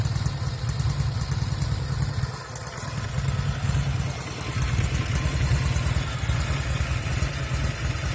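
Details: 1974 Norton Commando 850 twin with un-muted silencers: a loud, lumpy idle with occasional misfires heard from the left cylinder, which is also smoking visibly.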